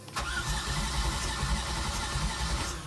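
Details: Twin LM4 LS swap in a 30' Bayliner, cranked briefly with no fuel in the system: a steady low churning crank with an even rhythm and no grinding or clicking; the starter turns the engine normally.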